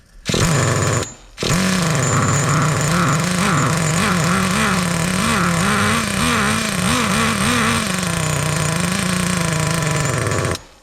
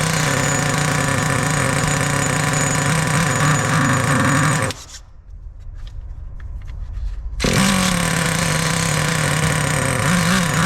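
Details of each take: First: Traxxas T-Maxx nitro RC truck, restarted after sitting 17 years. It screams with a pitch that wobbles and burbles, running very rich, and the clutch is spinning like crazy, making a whirring noise. The mixture is leaned out afterwards. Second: 2002 Traxxas T-Maxx RC with TRX 2.5 nitro engine, sat 17 years since 2008; high, buzzy little two-stroke note that cuts out briefly then picks straight back up. Idles and runs healthy.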